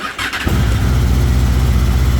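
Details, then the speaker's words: Honda VFR800 motorcycle cold start after sitting a while, battery charged, in the rain: short crank, then fires straight up into a steady, even idle with light rain hiss behind; healthy cold start. "Haven't started up in a little while, but it should fire straight up. I think the battery's nice and charged."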